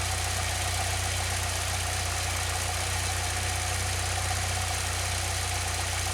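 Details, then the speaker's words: 2006 Saab 9-3 2.0t after new spark plugs for intermittent stumbling, started near cold mark, a little over 1,000 RPM: smooth, even idle with a steady low drone and no misses or knocks; sounds good, full cold start still untested. "Oh, it sounds pretty good to me. I guess I really won't know until we get like an actual full cold start out of this thing."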